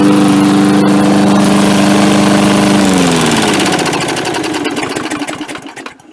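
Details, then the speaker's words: MTD Yard Machines 3.75 hp 22-inch push mower, carb only cleaned: small single runs smooth and steady with an even beat, then coasts down cleanly at shutoff; sounds healthy. "So yeah, seems like it works just fine now. So now I got another mower."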